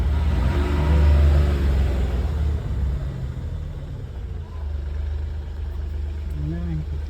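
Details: Mahindra Bolero BS6 after clearing DEF/SCR fault (DEF error, no start at 590 km, code P2BA7): low, even diesel rumble with steady beat, no misses or knocks; smooth healthy idle after repair.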